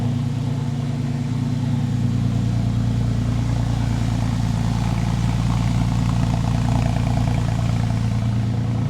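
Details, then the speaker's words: 2001 Porsche 911 Carrera 4, freshly rebuilt M96 engine converted from 3.4 to 3.8 L, first start before its first drive, good oil pressure: deep, even idle with a smooth low throb and no ticking or knocking, heard walking around the car. "she sounds really really really good no ticking nothing I'll walk around so you guys can hear it"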